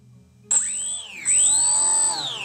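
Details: Brushless motor on a Diatone Ripper R690 FPV flying wing, 3S battery, bench test after ESC beeps: high, clean whine sweeps up, dips, then climbs smoothly with no grinding or stutter; normal spin-up.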